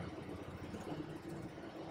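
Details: Rayco C120 120 hp mulcher diesel idling during its daily warm-up (10–15 minutes minimum, longer in cold weather). Even, low rumble with no knocks or surges; steady, healthy idle.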